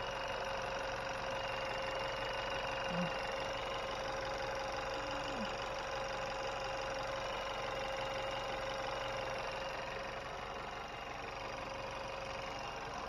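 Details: 2020 Chevy Malibu 1.5 turbo, after vacuum pump replacement and oil and coolant refill, cooling system not yet bled: steady, even idle with a faint constant high tone above it, no knocks, misses or hunting; normal idle.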